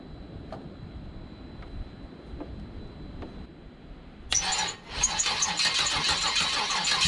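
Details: C5 Corvette V8 drivetrain out of the car, unknown-condition engine, ECU connected, open headers, first start: faint ticking, then fires at once into a loud, crackly but even run; owner says running on all eight (checked by exhaust-port temperature), little smoke. Normal running.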